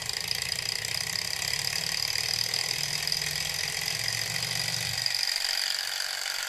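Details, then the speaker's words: Low-quality model Stirling engine running warm: a fast, light clatter of mechanical ticks and rattles over a hissy running note, from clearances between loose-fitting parts, with the table vibrating and amplifying the sound. "parçalar arasında bazı boşluklar var ve onlardan gelen o mekanik tıkırtılar ve şıngırtı duyuyoruz"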